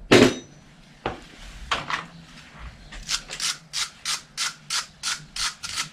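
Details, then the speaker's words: Bicycle crank arm creaking: sharp creak about twice a second, every pedal stroke; crank is defective, its square taper no longer square but deformed, bearing also defective. "muss ich leider feststellen dass diese tretkurbel kaputt ist diese defekt und solche sagen zu den guten mann damit muss er da hin zu den leuten die die macht haben denn sie ist nicht mehr viereckig sondern die ist aufgeworfen"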